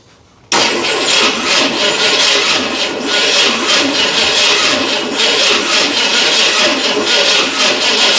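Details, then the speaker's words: 1981 Ford Bronco, start attempt after purchase: starter bumped by remote button with coil connected and carburettor fuel bowl filled; steady, even cranking but never fires. Owner suspects ignition timing issue. "That's got to be a timing issue. Back to the drawing board with that."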